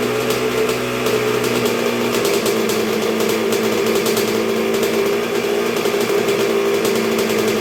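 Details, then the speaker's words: 1986 Honda CR125R two-stroke at first start and break-in after a new .060-over Wiseco top end: even, steady burble at low idle with no hunting, rattles or knocks, idling low though not yet fully broken in; healthy rebuild. "oh yeah she's coming along real good do you see how low that thing wanted to idle already and it's not even fully broken so this is a really good sign folks"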